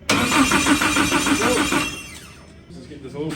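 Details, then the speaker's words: Nissan S14 Silvia engine after rewiring, first cranking to build oil pressure before first start: even cranking about three pulses a second, good compression, not firing. "With a good heartbeat. Definitely got some compression."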